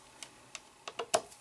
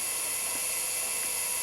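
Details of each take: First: Quantum Daytona 2.5-inch SCSI hard drive tries to spin up then gives up: sharp uneven clicks about four a second, no steady spin hum; heads suspected stuck from a deteriorated rubber piece. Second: Quantum Daytona 170S SCSI hard drive spinning up after being freed from sticking, holding a steady high whine with no clicks or scraping; normal spin.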